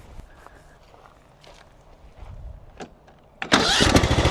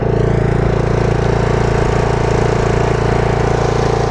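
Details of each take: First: Mower under a year old with about 23 hours, still sounding bad after dealer warranty work: lumpy, pulsing rough idle that worsens the longer it runs, clattering at low idle though fine at high idle; it did not used to do this. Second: Mower under a year old with about 23 hours, after dealer warranty work: at high idle the engine beat is even and steady with no clatter, though it runs rough and clatters at low idle and worsens the longer it runs.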